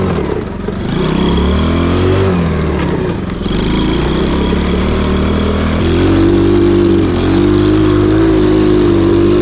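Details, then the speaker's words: Cheap Chinese mini quad with the cheapest eBay big-bore engine swapped in; exhaust may not be fully connected, and the owner suspects fuel starvation. The single-cylinder revs up and down, going flat near the top; bogging at high rpm, cause unconfirmed. "I don't know if cuz the exhaust is not fully connected or what it sounds like to me it's not getting enough fuel but maybe it is I don't know"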